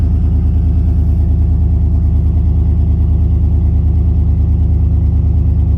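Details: 2014 Chevy Suburban startup with a loud, deep, raw unmuffled rumble, about three pulses a second; exhaust open where thieves cut out the resonator, leaving no resonator or muffler.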